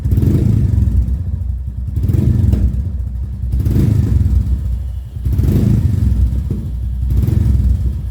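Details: Royal Enfield Classic 350 Reborn with new long-type PoweRage exhaust, DB killer removed: deep, even thumping idle swelling and falling with each throttle blip, loud and open; healthy single-cylinder exhaust note.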